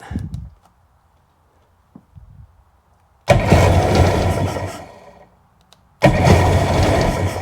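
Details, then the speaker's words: Sea-Doo personal watercraft engine, plugs cleaned, choke worked manually: two bursts of cranking with ragged, uneven firing that never catches; no fuel reaching the carb, owner suspects timing is off. "Manually run the choke here. Not getting any fuel up there yet."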